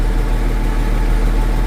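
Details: Case 504 tractor engine idling after a slow, battery-draining cold start: deep, even low rumble with a steady beat, no misses or knocks; normal idle.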